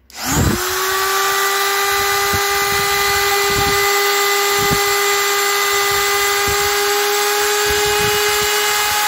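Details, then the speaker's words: Parkside PGS 500 A1 500 W brushed die grinder grinding a welded steel box corner: high steady whine holding pitch with no rattle or speed drop; normal operation under load. "Voyez - maintenant avec un cutter tranchant, je coupe du plastique et ce n'est pas un problème pour cet appareil ..."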